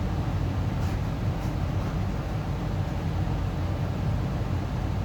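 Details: Amana 95 IIQ two-stage variable-speed gas furnace start-up: variable-speed draft inducer kicks on high for initialization, then blower; steady low even rumble, no rattles or scraping; normal start.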